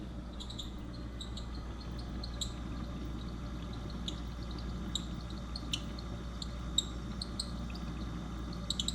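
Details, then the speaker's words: Whirlpool refrigerator: short, sharp high-pitched chirps irregularly over a low steady hum from the fan; fixed by cleaning the fan blades and vacuuming out dog hair. "so my whirlpool fridge has been making a really high-pitched annoying squeaking noise lately"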